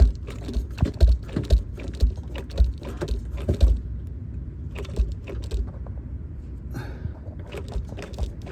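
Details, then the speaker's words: 2006 Dodge Charger, engine off, transmission in neutral: dull, uneven low clunks about once a second as the drive shaft is rocked by hand. This is worn drive shaft play, the source of the weird noise heard inside. "so that's the noise that you hear inside like you know like n like uh I don't know how to describe that noise but uh that's going to be the drop shot"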